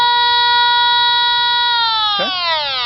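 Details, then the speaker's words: TIF 8900 combustible gas detector at the furnace gas line in a townhome HVAC closet: a steady high multi-tone alarm, then a downward sweep, pegged at the top connection. Gas is leaking there with a noticeable smell in the closet; the bottom connection is normal. "And there's a noticeable smell of gas in the closet itself."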